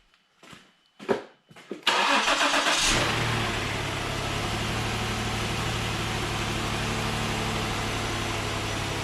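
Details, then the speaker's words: 2014 Ford Explorer first start after water pump job and reassembly, oil and fuel pressure pre-primed by cranking with injectors disabled: a few quiet clicks, quick catch, then smooth even idle with no knocks or ticks; healthy start. "so that's why it sounds nice when I on an initial startup because everything's already pre-primed with oil"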